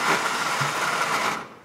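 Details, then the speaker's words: Mercedes-Benz Daily van with long-cranking hard-start history: fast high whirring spin with no engine turnover, then winds down; starter spinning freely without engaging, suspected worn from long cranking by previous owner. "aber der Anlasser dreht ins Freie ne weil der wahrscheinlich so schon relativ lange gestartet wurde auch vom Vorbesitzer"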